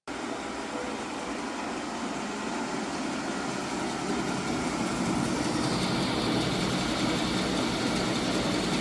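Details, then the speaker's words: 1985 18-inch bandsaw running with a rough, buzzy rattle and uneven pulse, shaking badly after moving onto a new raised mobile base (none on the old base); vibration traced to slack drive belts. "yeah that's obviously no good so I think our first step is going to be for troubl shooting this is getting our covers removed and taking some more Baseline readings"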